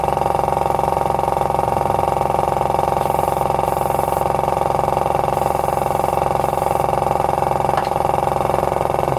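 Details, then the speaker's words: Paint compressor after repair of the fault where a bang left it running idle: even steady hum, regular pulse about two and a half per second, no knocking; running normally. "вот мы все нормально заработало и можно приступать дальше покраски"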